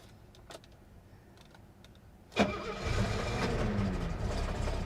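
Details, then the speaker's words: 1972 Mercedes 250 at auction, fuel pump primed, cranks for a long stretch, then catches around two and a half seconds and settles into a steady idle; extended cranking before start, cause unknown. "she tried she tried to start come on baby you can do it I want to buy you oh this is it come on little girl yeah she wants to start"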